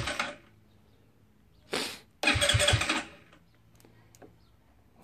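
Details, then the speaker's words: GY6 scooter cranked through a newly wired alarm remote start with the key on and the kill switch off: short bursts of starter cranking with quick chugs, never catching; the kill switch prevented starting, though compression was first suspected. "Okay, let's do this again. This is probably the compression issue."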